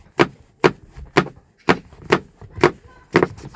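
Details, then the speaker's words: Kia e-Niro rear seat belt tangled: sharp hollow plastic knocks about twice a second, uneven, in quiet cabin while driving; buckle slapping plastic trim, same on both sides; untangling stops it. "If it's entangled like this, you hear this. Because these are just plastics, you know, they had to put"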